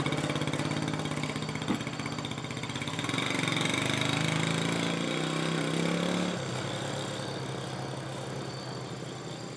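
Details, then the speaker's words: 1968 Honda Trail 90 that sputtered on the road, after the sticking carburetor slide was fixed: the small single thumps evenly, picks up briefly with throttle, then settles to a steady idle. The sticking slide was indeed the problem, and it now runs clean. "there you have it that was indeed the problem"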